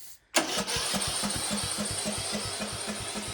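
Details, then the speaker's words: 1953 Willys CJ3B F-head, stored in a shed for years: one sharp backfire bang, then steady cranking at about four compression beats a second without catching; acts like it lacks spark, though it had spark. "why do you not want to run come on why are you not running what is your problem"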